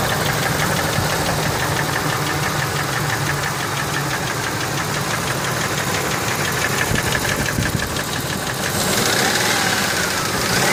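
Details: Ford F150 4.6 2-valve at idle: fast steady knocking rattle about three per second; sounds like lifters, but lash adjusters and roller followers quiet with cover off, owner suspects rod bearings; timing chains just replaced.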